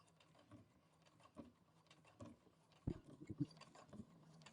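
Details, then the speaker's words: Brother Innovis A150 at 4.5 stitch length sewing through 8 layers of denim: slow, uneven heavy thumps about two a second as the needle labours, struggling a little; strained needle penetration under heavy load. "You can hear it pushing through all the layers. We'll have a look to see if it skipped any stitches in a second."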